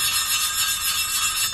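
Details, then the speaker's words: Hand lapping old valves into a new Suzuki Stockman/Sierra F10A cylinder head with water-based paste: sound starts gritty, then turns to a dry high-pitched scratchy hiss as the paste wears out, time to check the seat. "you'll hear when it first starts it sounds real gritty and as the paste wears out comes down quite more high pitched"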